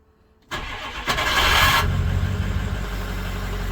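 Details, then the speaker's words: 2007 Ford F550 Power Stroke diesel, starter noise reportedly after several starts or when hot: harsh gritty whir about one second during cranking before engine catches and idles; cause not yet diagnosed. "he says it makes a little bit of noise after a few times of starting sometimes when it gets hot let's check it out there it is"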